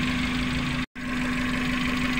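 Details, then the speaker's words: Suzuki Carry Futura pickup with misfire, rear cylinder's coil pulled at idle: engine turns very uneven and lumpy, showing that cylinder fires properly; cylinder three showed no change when pulled, pointing to it as the dead one. "ya belakang pada saat kita cabut pengaruhnya sangat besar yaitu mesinnya sampai guyang seperti ini jadi kondisinya bagus"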